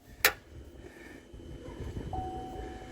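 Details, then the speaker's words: 2015 Chevy Silverado, driven fine before home repairs, won't start next morning: one sharp starter click on key turn, then nothing; engine never cranks, starter motor failing to engage. "all right one more time you hear that clicking guys that's the starter motor trying to engage but for whatever reason it's not"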